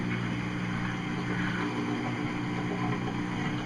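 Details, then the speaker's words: Whirlpool Cabrio washer after motor starter capacitor replacement, in diagnostic test mode on the drain pump test: a steady, even low hum with no grinding, rattling or surging. Normal drain pump operation. "I can hear the drain pump working that's all good after that the shifter should move into the spin position"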